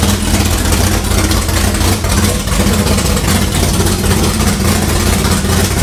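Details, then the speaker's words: 6th-gen Camaro V8 with new cam, heads and intake, dyno-tuned with valve lash set: loud, lumpy, choppy idle with heavy low rumble and quick throttle blips, louder than previous engine; healthy. "Sounds like a monster. Dang, that's a little bit louder than the last engine. Yeah. Sounds rowdy."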